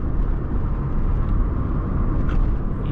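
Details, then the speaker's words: Car driving after clutch repair at a shop, AC on: steady low rumble, smoother with no jerking, and the knocking noise from underneath is gone. "Agora não tá mais. Ele tá mais macio pra andar. E aquele barulho que tava aqui embaixo batendo também já foi arrumado."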